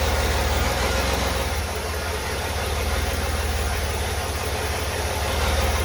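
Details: Chevy 4.3L V6 swapped into a Willys CJ5 Jeep, first start after rebuild with hydraulic roller cam: uneven fast idle with pulses about 220 a minute, rough running; timing adjusted slightly, cause not confirmed.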